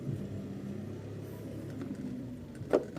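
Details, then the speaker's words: Mitsubishi Montero body rocked by hand: dull low rumble, then a sharp hollow clunk from the roof/sunroof, not the undercarriage as other shops assumed. "Ayan yung tunog nasa taas pala."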